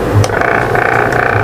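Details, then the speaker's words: Asahi stand fan running at speed 1: busy rattling, ratchet-like noise over the motor hum; rotor loose on the shaft, turning without fully carrying it; fix by tightening and replacing the blower spacer. "Kaya pala maingay ito ang nagiging sanhi ng pag-iingay niya umiikot ang rotor pero hindi masyadong Sumasama ang shafting naiiwan ang shafting sa pag-ikot ng rotor"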